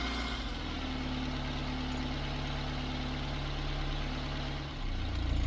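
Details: Austin Allegro on E5/E10 petrol, after new fuel filter and pipes, started cold on about half choke: steady, even idle with a low hum and slight dip near the end; normal cold idle on choke.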